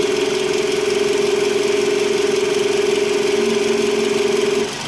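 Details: Toyota RAV4 (XA30), 70,000 km, noise began after car alarm installation: steady mid-pitched generator whine rising with rpm, cutting out when alternator control plug is pulled while engine runs; alternator diode bridge was found punctured and replaced, fixing it.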